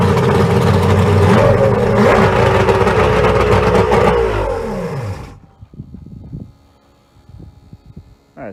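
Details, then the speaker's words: Outboard on a boat that sat a long time, fuel line dipped straight into the tank: fires and revs higher than it should before dropping off; throttle sticking slightly, otherwise runs strong. "The throttle stuck just a little bit. Probably needs a little bit of some loving because the boat sat for so long."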